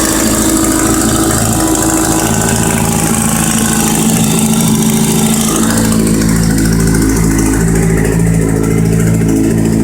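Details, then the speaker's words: Kawasaki Z750 motorcycle, cold idle: tinny metallic chatter riding on the engine beat, steady with engine speed; exhaust header rattle from a small plate cracked at the header mouth, a common Z750 issue, not internal engine. "aí que que realmente acontece é um probleminha no coletor entendeu galera o coletor que trinca na boca lá uma chapinha e fica fazendo um barulho feio tá ligado"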